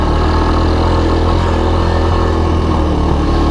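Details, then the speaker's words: 1983 Honda ATC185S three-wheeler after sitting a while, ridden with choke on: steady, even single-cylinder thump at slightly fast choke idle, no misses or knocks, no smoke trail; engine sounds healthy. "it all sounds good i don't see any smoke trail"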